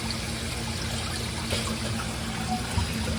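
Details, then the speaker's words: Float switch test: lifting the float opens the drain valve, soft trickle and pour of water as it drains; switch working. "we can hear the door drain open so I believe that the switch is working because with this lifted the door opens up so that it can drain"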